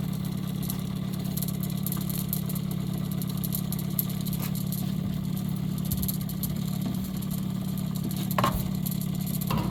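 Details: Maytag washer drain (discharge) pump energized during troubleshooting: steady low electrical hum with no swish of water; not pumping because the impeller shaft inside had broken, fixed by replacing the pump.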